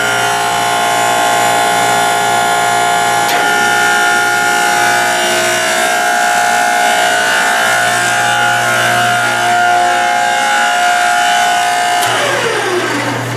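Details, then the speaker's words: Log-splitter-converted forging press (25-ton County Line) hydraulic pump on electric motor via phase converter: loud steady high whine over constant motor hum, no load change; noisy pump, owner unsure whether it will quiet or worsen. "let me go ahead and run this kick on the phase converter and you might want to turn down your sound [Music] because like I said this sucker is noisy"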